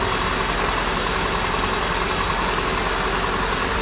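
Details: Rallye 1.3 engine, first start after rebuild with filters and oils fitted, now much quieter and reaching full temperature: steady, even idle with smooth low hum, no knocks or misses; normal idle.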